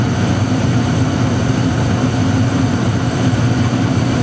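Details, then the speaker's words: Trane XE80 gas furnace that kept losing heat (owner suspects gas switch or control board), after cycling the main gas valve, igniter lights then flame: steady low burner roar with an even rush, no popping; burner lit, heating normally for now. "So now we have heat."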